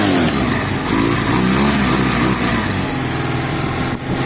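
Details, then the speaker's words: Honda CB250 cafe racer project with new fuel line and reseated carb gasket; revs up cleanly and drops back smoothly, no stumble, misfire or mechanical noise; rides well, tiny low-end stumble noted; normal running. "the engine sounds good i'll take it for a little bit of a spoon so guys couple of things it it rode very well it's a tiny bit stumbly on the bottom end nothing major"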